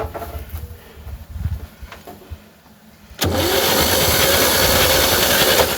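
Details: 1960 Chevy C10 with a 235 inline six, sat about 40 years, with a swapped starter and a dummy switch: a click, then steady loud cranking at about two turns a second without firing. The starter spins the engine properly.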